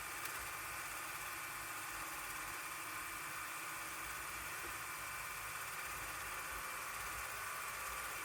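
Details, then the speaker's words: Half-track two-channel stereo reel-to-reel tape machine (7.5/15/30 ips), rewinding tape from right take-up reel to left supply reel: even high whirring with steady hiss, no knocks or catches; normal smooth fast rewind. "you get close to the end of the tape in the rewinding, I usually like sort of rock this back and forth so it doesn't just go flying off the reel."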